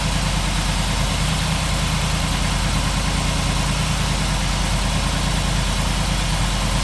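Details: 1947 Ford street rod V8 idling after the intake manifold and distributor were reinstalled and a leaking water pump gasket was replaced; steady low rumble with no misses, knocks or ticks. A smooth, even idle.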